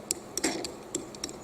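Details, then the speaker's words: Massage/muscle roller stick moved by hand: short sharp squeaks and ticks as the plastic roller rubs dry on its metal shaft; needs a little lubricant. "it is the plastic it's the plastic rubbing on the metal so it needs a little bit of lubricant"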